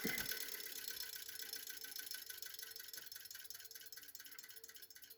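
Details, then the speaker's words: New Bauer 6-inch bench grinder (2.1 amp, 1-1/3 hp) coasting down after first start-up: faint ticking that slows with the wheel, from a wire-brush strand hitting the shield, over an otherwise very quiet motor. "that ticking noise you hear is just a piece of the wire brush hitting the shielding the machine itself the grinder itself is very quiet"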